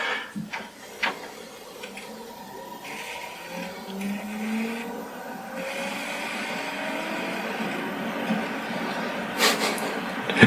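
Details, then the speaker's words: Pioneer LaserActive player spinning up a LaserDisc after pressing play: a whirring tone climbs steadily in pitch over several seconds, smooth with no scraping, like it's taking off; normal disc spin-up. "genuinely sounds like it's taking off."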